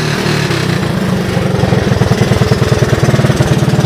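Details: 1984 Honda ATC 200S, about 90°F, after new carburetor and replaced gas tank: quick even single-cylinder thumping at steady low idle, no misses or knocks; runs well.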